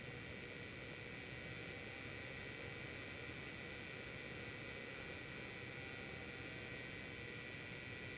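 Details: Zotac GTX 1080 AMP Edition graphics card: a steady airy whir with a faint high-pitched whine throughout; abnormal fan or whirring noise, cause unknown.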